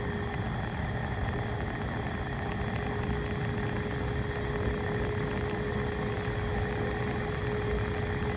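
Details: AC Infinity Cloudline fan (Air Filtration PRO Kit 4", 1–2 years old), carbon filter removed: constant mid-pitched buzz, noticed for months, and thin high whine over steady rushing hiss; buzzing and hissing noise, cause unclear.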